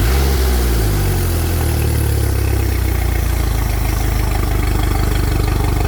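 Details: Mercury 115HP outboard after voltage regulator/rectifier replacement (previously overvoltage above 16 V), water hooked up, started: picks up quickly, firm steady low drone, even pulse, no misses or knocks; normal running.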